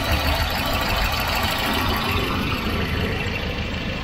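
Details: Volvo Redblock B230 (240) replacement engine at idle: steady, even, smooth low hum like a sewing machine, no knocks or misses, healthy engine, unlike the other motor with piston slap.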